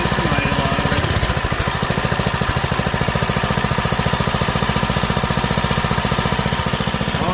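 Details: Doodle Bug DB30 minibike after fitting a new carburetor and adjusting the carb screw: busy single-cylinder chatter holding steady at fast idle without stumbling or surging, running way better than before.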